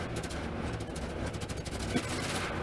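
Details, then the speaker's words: 1988 Pontiac Trans Am GTA, 45,000 original miles, new fuel pump, warming up: floored under load it sputters with ragged, uneven pops and won't catch, only catching when feathered; bogs, cause unconfirmed, air or fuel suspected. "put it under a load it just kind of does not go it won't even catch I've got it floored right now it would catch if I feathered it"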